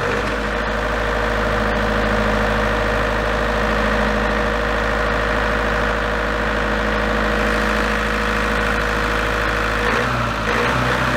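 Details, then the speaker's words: Large diesel generator set from auction, with the engine throttle adjusted while running: a steady note for about ten seconds, then it cuts out with a frequency error. Engine speed is thought not to be the cause. "all right so it looks like we've already different era now so you can generate at all that frequency so I don't think it's got anything to do with the engine speeds"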